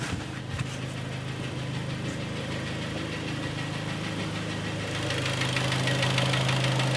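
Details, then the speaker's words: Warm (hot) 2013 Kia Sportage G4KD 2.0 petrol, AWD automatic, 116,000 km, idling with a steady dull knock about three times a second; scored cylinders cause piston knock, much louder cold at −5°C; engine to be sleeved and fully rebuilt. "Ну патрони если отключить Да покажется 180 перепутал 116000 помет задиры сейчас выйдем послушаем на горячую"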